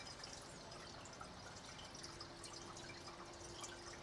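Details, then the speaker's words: Reef aquarium sump with filter sock silencers in place: soft steady trickle with few light drips, no splashing, under 50–51 dB; quieter than without silencers. "sometimes hitting 51 but I think that is the max definitely quieter than without the silencer"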